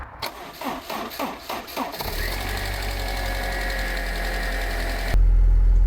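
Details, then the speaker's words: Abandoned, long-stored Land Rover Freelander, fuel pump fed by a bodged supply, no coolant in: starter cranks in bursts, then engine catches and runs rough and uneven; shut off quickly due to no coolant. "All right, it's got no coolant in it, so let's shut it off. All right, I can't believe that runs it."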